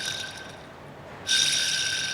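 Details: 2005 Ford Mondeo Mk3 2.0 Duratec automatic, 130k miles: driver's front "wheel bearing" whoa-whoa noise, starting after about half a mile to a mile of driving and worsening; removed driveshaft support bearing, very dry, gives a high whirring hiss when spun by hand.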